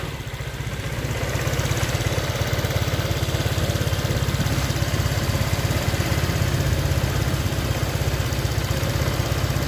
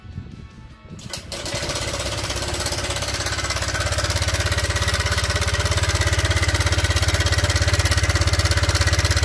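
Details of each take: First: Honda Vario Techno 125 scooter whose engine sounded rough now idles evenly with a steady low putter and no ticking or rattle after the faulty cam chain tensioner was replaced. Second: Honda Vario Techno 125 scooter with a rough engine noise and very black oil: it starts and idles with a loud, busy metallic clatter from a slack cam chain; the cam chain tensioner has failed and should be replaced.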